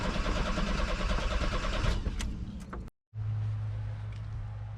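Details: VW Vanagon that won't start, cranked after replacing fuel filter suspected clogged from running tank empty: steady starter cranking about three turns a second, stops and restarts, never catches; filter was not the cause, real fault found later.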